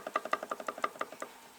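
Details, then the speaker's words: Lada Niva front axle differential, cover off, gear teeth intact: rocking by hand gives light metallic clacks, roughly six a second; small free play, owner unsure if normal, bearings possibly suspect. "если рукой качать там небольшой в принципе такой стук есть должен быть такой лифт или нет пишите в комментариях если кто знает"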